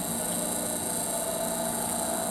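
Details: Triumph Spitfire wiper motor in a restoration, filmed with ignition on, cycling park, intermittent, speed 1 and speed 2: smooth, even electric whir with a steady hum and no knocks or catches; the wiper motor works normally.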